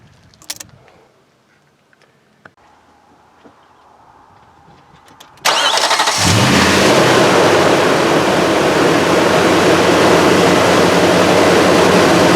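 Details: Nissan Titan/Armada 5.6L VK56 V8 first start after serpentine belt replacement, belt checked centered on all pulleys: quiet, then cranks, catches fast and settles into a steady, even idle with no belt squeal or chirp; normal idle.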